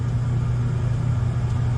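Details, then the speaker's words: Gas furnace on the new control board, old blower motor: it had to be hand-spun to start, then gives a steady low hum with no rising spin-up, turning too slowly. The start capacitor or a worn-out motor was suspected. "I had to give it a spin, which kind of indicates that the either the starter capacitor isn't giving me enough juice, or the motor's just worn out."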